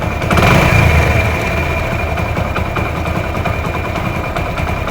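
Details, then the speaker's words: Hero Honda Splendor Plus, about 15–16 years old, rebuilt, after replacing the faulty part causing engine noise: single-cylinder idle with a rev then even steady putter, no top-end tapping or rattle; normal idle. "यहां पर थोड़ा एक्सलेट करके भी आपको बता दे आवाज देख पा रहे एकदम मीठा साउंड है कितना भी एकटर खीच जरा सा भी इसको इ नहीं है"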